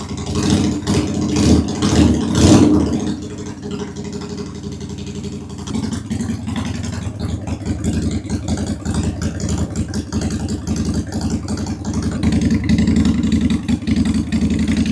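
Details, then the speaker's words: 2001 Honda Shadow VT750 V-twin after carburetors rebuilt with new parts, airbox off, on reserve fuel: after throttle blips settles to a steady, lumpy beat with both cylinders firing; front cylinder seems to run richer; normal idle. "Yeah, the rear is running a little richer. Or no, the front is running richer."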